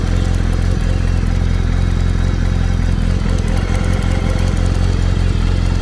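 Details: Kawasaki ZR7 at steady idle with a loose mechanical clatter, roughly three beats a second, over the exhaust drone; owner asks what the problem is, cause not identified; engine clatter.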